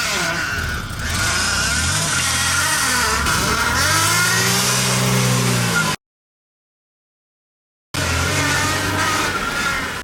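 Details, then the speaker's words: BMW E34 barn find with steering box: steady high whine over engine, swelling as wheel is turned, steering growling badly though fluid was present and it wouldn't bleed; power steering pump whine from air in fluid. "but in the last episode i was trying to drive it and the steering was growling so badly"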